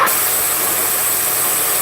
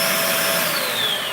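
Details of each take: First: Shark vacuum: loud airflow hiss with a thin high whistle on top, then a falling tone as the motor winds down; whistle from a specific part in the suction path, exact cause not confirmed. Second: Shark vacuum switched on during repair troubleshooting: steady, smooth motor whine easing slightly in pitch, with no rattle, grind or squeal and none of the earlier problem sound. Normal suction, no abnormal noise.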